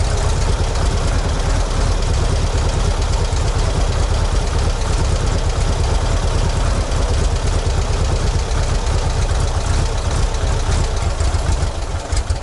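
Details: ZAZ 968M air-cooled petrol engine started after standing idle, fuel pump just repaired: deep, steady low rumble at idle with an even beat, nothing irregular on top; idling normally.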